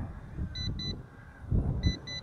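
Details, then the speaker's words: YLRC S138 brushless optical-flow drone in flight: paired high beeps about every 1.25 seconds over rotor wash and wind as battery runs low; low battery warning beep. "do a flip now don't do flips anymore after the battery starts saying it's low"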